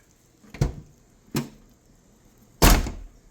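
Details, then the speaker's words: 1996-2004 Nissan R50 Pathfinder/Infiniti QX4 rear hatch after latch replacement (previously rattled while driving): three deep solid thunks with no rattle or bounce; normal latch closing. "Yeah, that sounds a lot more solid now."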